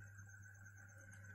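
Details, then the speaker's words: Refrigerator compressor plugged in: only a steady low electrical hum, no suction or discharge airflow; compressor locked and cannot turn, overload heard tripping under high load; severe fault. "Saya akan coba colokkan ke listrik. Oke teman-teman, hanya terdengar dengungnya saja,"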